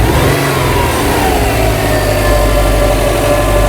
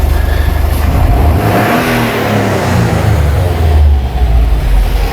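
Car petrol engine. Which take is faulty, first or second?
second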